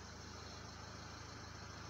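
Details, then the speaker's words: Renault Laguna 3 Coupé 2.0 dCi 180 diesel at idle after a fix to the upper dashboard: steady, even low throb with no buzz or rattle from the dash; normal idle, dashboard vibration gone. "maintenant je vous laisse écouter le bruit il ya plus de vibrations voilà parce que faite sur ce modèle là c'est là c'est la partie haute la partie haute du tableau de bord qui il ya que ça qui vibre"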